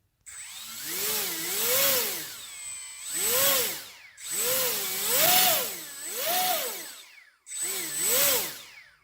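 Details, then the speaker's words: HobbyKing EZIO 800 electric RC glider motor in a throttle speed test: smooth whir up and down through throttle sweeps, no stutter, grinding or strange noise. "no strange no noises whatsoever very [Music] smooth"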